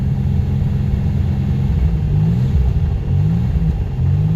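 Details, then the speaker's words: Centurion engine that had quit spitting (owner suspects bad fuel, unsure), left running until its small gas container runs dry: steady low rumble with gentle revs and no misses, suddenly cleared up and running mostly smooth; owner wonders if a cog was the cause. "I don't know if y'all can hear that the engine just completely like cleared up it's running perfectly well mostly smooth"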